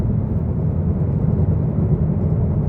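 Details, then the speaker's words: 2013 Jeep Patriot Limited FWD cruising at about 35 mph and 1000–1500 rpm after cleaning the vehicle speed sensor: steady low engine drone, the earlier whine gone. "there you go you did it folks and we don't hear that whining anymore"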